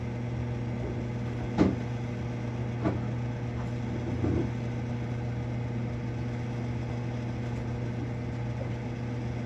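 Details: Marine Air Systems Cabin Mate air conditioner aboard a Mainship 40DC boat: loud steady low hum with a few sharp clunks as the compressor struggles to start; very noisy during start attempts, fix unknown.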